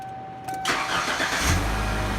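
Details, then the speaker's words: 1992 Ford Mustang four-cylinder (owner says 3.0 liter), 73,000 miles, transmission iffy in gear; brief crank, catches within a second and settles into low, even idle with no ticking or stumbling, purrs like a kitten: normal start and idle. "I don't expect to hear that out of a Mustang. It purrs like a fucking kitten."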